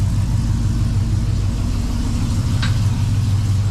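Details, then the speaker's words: 2006 Trailblazer SS AWD V8 after Speed Engineering long-tube headers, y-pipe, FTI 3200 stall converter and retune, 4-inch intake: snappy start, deep steady lumpy idle rumble, no knocks or misses; normal idle. "Oh, that sounds good. I like that little snap when it starts. It's all that air sucking into the 4-inch."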